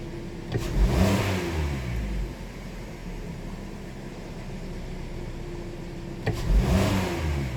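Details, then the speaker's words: 2018 Hyundai Sonata 2.4 with knock sensor code P1326: two quick throttle blips from steady idle fall back cleanly, no knock or clunk on returns; scan shows no knock detected; cause not confirmed. "It's just knock detection off, so it didn't detect any knock."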